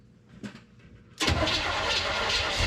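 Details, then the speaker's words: 1973 square body truck, first start after cam swap: faint cranking, then engine catches and runs fast and rough; ignition timing well off, being adjusted, lifters still need adjusting. "fire we ain't got no fuel hold on we're loose here change your timing a little bit fall off CR it um okay timing timing Leo hold it we can't be out that far"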